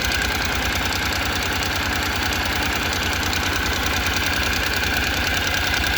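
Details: 2014 Honda NC750X at 55,300 km, idling after first DIY valve clearance adjustment: fast light regular ticking about three per second over steady idle; top-end valve noise, cause not confirmed.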